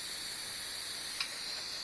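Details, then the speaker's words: Pressure canner after 75 minutes of processing, stove off and gauge down to zero for a few minutes: a faint, steady high hiss of the last bit of air escaping as the weight is lifted. This is normal. "the air pressure, the last little bit of air pressure."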